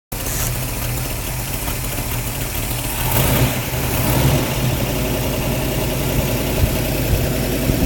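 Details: Engine idling and revved: a rough, irregular puffing in the exhaust note that swells on revs. Exhaust gases seem to leak around the flange or seal where the manifold meets the pipe; source unconfirmed.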